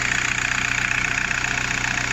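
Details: VW Golf 4 diesel with a steady, even idle, a regular low pulse and no knocks, misses or shaking, after repair; a cut wire rubbing on metal had caused cutting out and vibration, with no solenoid valve replaced.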